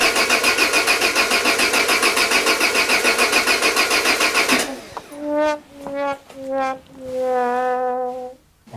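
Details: Peugeot 205 with Solex carburettor just refitted: starter churns steadily at about three and a half beats a second, never catching; battery weakening; the unplugged vacuum hose leaves a huge intake air leak.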